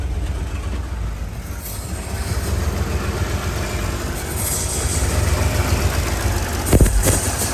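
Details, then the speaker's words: 2007 Mercedes GL450 with random misfire and low power, battery and check engine lights on: low, very unsteady idle hunting up and down with misfire stumble and an intake sucking noise; catalytic converter also rattles inside. "What's that noise? It's sucking something. You hear that sucking? Trying to find an idle. Very unsteady. Very unsteady."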